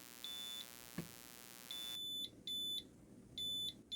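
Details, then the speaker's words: 2000 W inverter from a WEIZE kit on a 100Ah LFP battery, input ramped down to about 10 V: short high-pitched beeps about once a second give the low-input-voltage warning; the 120 V output stays on until cutoff at 9.8 V. "Okay, so that was just a warning, but at 9.8 volts, you can see the output actually was off."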